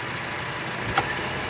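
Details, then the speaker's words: 2006 Honda Civic with intermittent A/C, after swapping the A/C relay, engine idling: one crisp click as the compressor clutch engages, relay confirmed good; normal A/C compressor clutch engagement. "and now it's engaged see that means the relay is good that's where the click sound is from so this is good"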